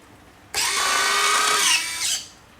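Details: FMS Viper 70mm V2 EDF jet during setup: smooth, even whirring retract motor run of about one and a half seconds that stops cleanly; the metal landing gear retracts cycle normally.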